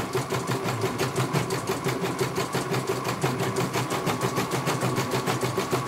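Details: CNY computerized embroidery machine test-stitching after a service for a motor that would not turn. Quick, even, regular needle clatter with no grinding or missed beats. It finishes one color and the technician calls it very good.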